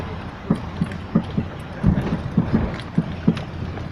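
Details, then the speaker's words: Dull low uneven thumps as the front corner is worked: knock from the left front suspension; owner first suspected the left stabilizer link, now suspects a loosened shock strut nut on a self-rebuilt strut; unconfirmed. "Слышите стуки? Значит, подозрения были на линьку. На линьку слева. Стук идет слева."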